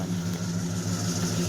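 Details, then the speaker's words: 1972 Ford LTD with 400 big block V8, revived after sitting, rings loosened so no longer smoking: deep, even burble at idle with a steady rhythmic pulse and no knocks or ticks; runs smooth. "it is a true 400 big block somebody had painted the intake looks like Chevy orange to me but uh it's not a Chevy engine I can guarantee it so it's a running running pretty smooth"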